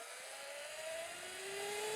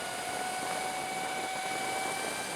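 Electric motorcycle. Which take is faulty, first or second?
first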